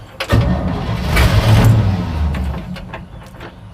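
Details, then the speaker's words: 1965 Chevy C10 that sat in a field: starter grinds and engine barely catches in uneven puffs then fades, later runs rough; hard start from fuel starvation. "One more. Ooh, it's trying. All right, let's give it some milk. All right, so I poured a little bit of gas into the carb. Let's see if that helps it out a little bit."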